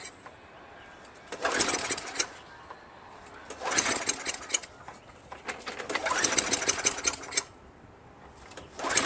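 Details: Craftsman Eager 1 22" self-propelled mower, Tecumseh 5.5HP engine, gas added: catches in ragged bursts of a couple of seconds then dies; fires but won't keep running, owner suspects spark or fuel.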